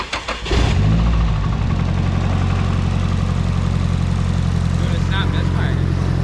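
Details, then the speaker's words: Nissan 240SX S13 after a swap from the KA24DE to an SR20DET. Engine cranks, catches within a second, then settles into a steady, even idle with no stumble. Runs normally and sounds much better. "yeah and it actually sounds a lot better"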